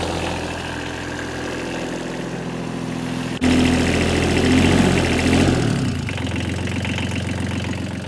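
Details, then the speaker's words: Small wheel loader diesel started with glow plugs, throttle tied back: catches after a short crank and settles into an even, steady idle with no knocks or misses; sounds like a little tractor, runs cleanly. "It sounds like one of them little tractors. I'm gonna let this thing run a while."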